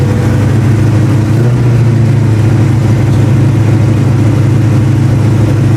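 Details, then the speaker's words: 1989 Mustang notchback V8 with a rebuilt carburetor, after adjusting the idle air mixture: steady raised drone that never settles back down. Idle is far too high, about 2000–2500 rpm. "oh it's idling at two thousand five why are you idling then hi now"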